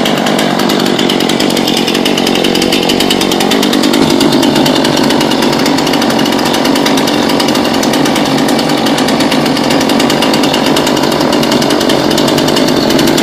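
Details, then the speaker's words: New Husqvarna two-stroke chainsaw just after its first start, choke and primer bulb used, chain brake off: even, steady idle with no hunting or stumbling, keeps running on its own; normal idle. "Pull and pull sounds a little better this should just sit idle"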